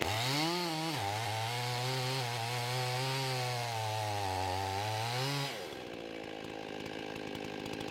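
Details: Husqvarna 55 chainsaw after the carburetor gasket air leak was repaired and the saw retuned, at about 13,000 rpm in the cut: strong steady high rev that sags a little and holds under load, then drops off cleanly; normal cutting.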